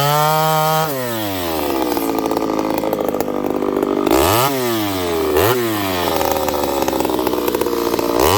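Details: Ported Homelite 922 chainsaw after clutch and fuel line repair and cooler heat-range plug, cutting very hard wood: revs high in the cut, bogs slightly under load, snaps back cleanly on each throttle blip; normal, healthy cutting.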